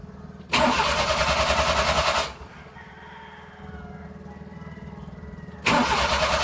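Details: Suzuki F6A engine in a Multicab, cranks but won't start: two bursts of steady starter cranking at about three and a half turns a second, never firing or catching between attempts; crank no-start.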